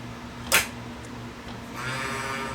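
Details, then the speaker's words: Toshiba Betamax VCR that sat unused for about 40 years: a low, steady hum from the cheap DC capstan motor, a sharp click, then a rough, bleating squeak from its dry bearing, heard before the bearing is oiled. "Oo. Oh, that bearing sounds good. I better put some oil down there."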